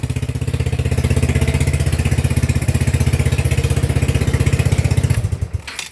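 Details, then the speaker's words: TrailMaster 300 XRS go-kart single-cylinder engine after cleaning and reconnecting carburetor, choke plugged in, then adjusting carburetor: steady even idle thump, holds on its own without pressing gas; normal idle after carb adjustment. "Sorry about talking while it's on, but that's pretty good."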